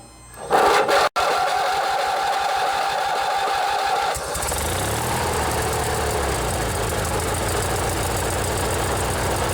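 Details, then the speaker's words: 16 hp Briggs & Stratton opposed-twin engine on an old riding mower, with a modified choke cable. The starter whirs about three seconds, then the engine catches and settles into a smooth, even, steady run: normal running. "So far, we've only listened to single-cylinder engines, but this one here, it's the old Briggs and Stratton opposed twin. This one's a 16 horsepower. Let's see if you can hear the difference with how a twin cylinder sounds."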